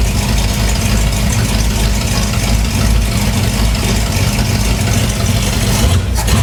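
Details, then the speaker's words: 1961 Cadillac DeVille V8, engine and transmission reinstalled after use in a hearse, fuel now reaching the engine: steady, low, even burbling idle with no knocks or misses; normal idle. "Sounds pretty good. Working."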